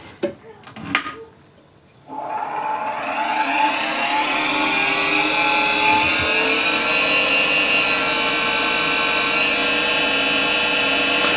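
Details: New Harvey wood lathe with original spindle bearings at about 1600 RPM, before bearing replacement, measured about 64 average: steady, fairly loud high whine with several ringing tones, pointing to the spindle, possibly its bearings.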